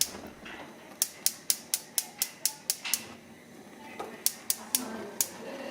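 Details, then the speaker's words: GE Monogram gas cooktop after liquid spill and igniter repair, burners reassembled: sharp ticks continue about twice per second after the burner lights; one igniter keeps sparking because its simmer orifice is clogged, to be cleaned with rubbing alcohol. "The igniters keep sparking. This is because the simmer orifice is clogged."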